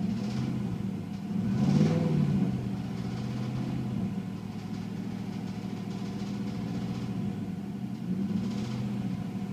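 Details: 1996 Chevrolet Silverado K1500 Vortec 5.0 V8 idling with a steady, deep, rapid rod knock that is progressively getting worse; metal shavings found in the oil, reman engine ordered.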